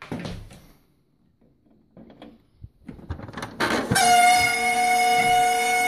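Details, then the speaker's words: HP LaserJet 1200 with toner and paper tray removed, powered on; loud, steady, piercing squeal holding pitch, traced to the laser scanner (stops when unplugged); laser scanner motor squeal, later fixed by lubricating the motor. "I did a little bit of investigation and I found out it's the laser scanner making the noise"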